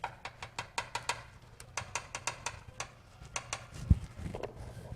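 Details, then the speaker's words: 1972 VW bus with a dieseling issue, tune-up with valve cover off: sharp light ticking about five times a second from the rockers; valves way out of adjustment, a 12 thou feeler gauge drops in loose, though it runs good. "they're way out of adjustment that's a 12 thou feeler gauge and well you can sort of see one and two it up it just drops in there uh a little loose"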